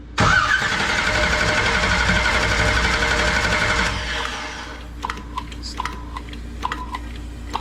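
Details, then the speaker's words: 1969 Camaro with 496 big-block, first start: about four seconds of steady, even starter cranking with no firing; engine turns over freely but carburetor is still dry, fuel system not yet primed. "crank it we don't have fuel in the carburetor yet so it's going to have to prime the whole system so let's give it a shot see if we got any fuel yet"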